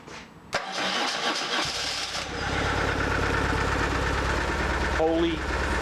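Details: 2004 BMW R1150R, 22,711 miles, after a no-start traced to injector connectors pulled out from a misassembled boot and refitted: catches after a second of cranking, steady even beat, no misfire, running on both cylinders.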